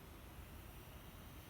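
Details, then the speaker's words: LG inverter air conditioner compressor starting after motherboard (PCB) repair; low, even hum with no knocks or rattles, holding steady, compressor running normally, confirming the repair. "as you can hear the Inver compressor is starting the compressor has started meaning that the PCB was successfully"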